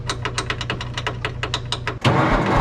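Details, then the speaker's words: Cabover truck with old mechanical diesel and injection pump, sitting 20 years, fed from a jerry can of likely old fuel, filter pre-filled with ATF: steady starter cranking with even compression beats, but never catches; no fuel flow yet. "all right everything's hooked up and we're just going to start turning it over and see if we can get fuel pumping through this thing no fuel flow yet try to work this primer a little"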